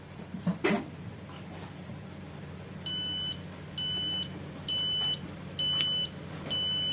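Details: Epson LX-310 dot-matrix printer that won't pull paper, jammed: at power-on all indicator lights flash and five short high beeps repeat with no carriage movement; error signal from jammed carriage.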